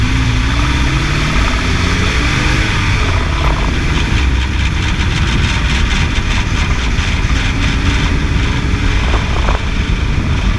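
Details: 2006 Toyota idling with a few throttle blips while the owner tries to locate an engine noise. A faint rapid ticking rides above the exhaust note; source not yet identified. Unidentified engine noise.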